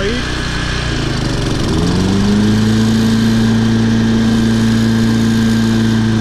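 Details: Toro Personal Pace 20333 22-inch recycler mower, Briggs & Stratton 190cc engine, first start after fitting an aftermarket carburetor and correct governor shoulder bolt: settles from a rising rev into a steady, even hum holding speed; normal idle.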